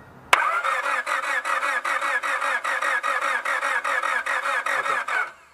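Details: Honda Civic that won't start: the starter cranks the engine in a steady rhythmic churn for about five seconds but it never fires. Later, with only the ignition on, a tiny intermittent spark is heard from the igniter.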